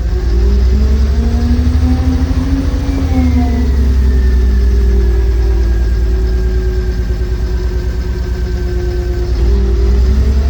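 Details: Sany SW995K1: deep diesel drone that revs up only a little and sags back with a slightly uneven beat; low power due to a bad injector.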